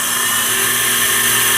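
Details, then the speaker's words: Campbell 750 (FR242615S) 24" CNC fixed-rail vertical universal grinder spindle at 3,500 rpm, M4 in MDI, heard inside the dim cabinet: smooth steady high-pitched whine, no roughness or wavering; normal spindle run at high speed. "So, I know there's not a lot of light in the cabinet, but you can hear it better than you can see it, obviously."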